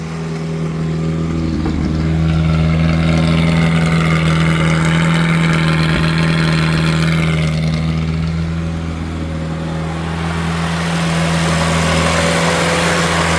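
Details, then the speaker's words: 1969 Austin America first run in 15 years, with timing retarded after carb work. Steady fast, heavy, uneven high idle: it is dumping tons of fuel and idling out of control, and the main jet needs work. "It runs badly. We need the main jet work. Don't really do too much running it until we get things right. It's dumping tons of fuel in and idling out of control."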